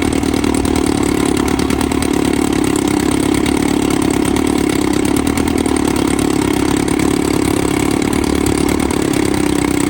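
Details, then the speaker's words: 1954 Evinrude 7.5 HP Fleet Twin outboard at first start after new coils, cleaned points and a carb rebuild (new gaskets, float, needle): a steady, even two-stroke idle with a crisp, regular beat and no misses or surging; normal idle. "Sounds good. Not making any gas. Actually, idle good here."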